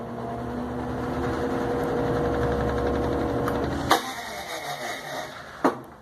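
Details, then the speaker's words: Electrolux LTE 12 top-load washer: spin hum fades, then a loud bang and second knock as the drum stops; braço injetor, ratchet and tub cover already replaced, diagnosed as a faulty braço injetor not engaging properly. "Estronda tudo é sempre quando para como se fosse a catraca como se fosse desgaste na tampa da caixa e não é é falha no braço injetor"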